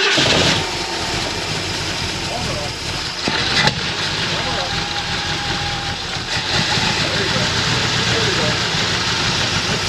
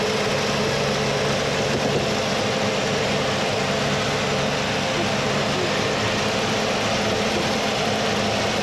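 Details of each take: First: 351 Cleveland V8 in a 1979 Mercury Capri with a stuck distributor, just started after priming with fuel: catches and settles into a lumpy, uneven idle around 780 rpm, charging 14 volts; ignition timing badly off, damper timing marks not visible yet. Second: 1979 Mercury Capri with 351 Cleveland V8, distributor freed and retimed to about 10° initial (about 32° all in): loud steady idle at an even level, partly masked by background noise; idles smoothly.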